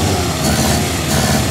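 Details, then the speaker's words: Barn-find 1954 Austin A30 four-cylinder, first start after being laid up since 1971, choke out and not yet up to temperature: a short burst of steady running with an even note and no knocks or misses; it sounds healthy. "that sounds all right now yeah take it for a spin"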